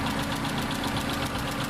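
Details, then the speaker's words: Kia Sportage diesel idling before treatment: quick, even ticking about ten taps a second over engine rumble; the ticking went quiet after a metal-coating engine oil additive was added. "ก่อนเติมจะมีเสียงดังนะครับก่อเติมเจ็ดตัวนี้ลงไปนะครับจะมีเสียงดังแจ๊กๆๆๆๆครับ"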